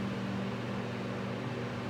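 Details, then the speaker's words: Vintage Mimar model 425 coaxial fan, freshly cleaned and oiled, on low speed drawing slightly less than the 1.65 A it draws on high: steady quiet motor hum with soft even air rush, no rattles or scraping; runs healthy. "That's how she runs. Pretty nice deal on low. Because it moves a lot of air and it's not that loud."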